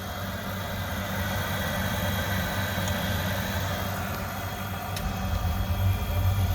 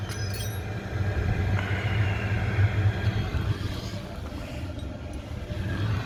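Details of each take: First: Oil boiler that keeps locking out and sooting up, first firing after bleeding air from pump (pressure a little low): steady low roar with uneven pulsing rumble, smoke test about 7; poor combustion. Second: Oil boiler that kept locking out and sooting up, after adjusting the air so the combustion reading settled at 11.5. A deep, steady flame roar with an even rumble and no pulsing or popping; normal burner operation.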